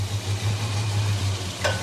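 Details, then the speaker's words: Holden HK petrol engine idling after the coil lead was redone: steady low hum, the earlier ticking is gone. "Right, start her up. Not a lot of force there, but it's working. Come on, baby, idle up. So that ticking noise is gone, that was there."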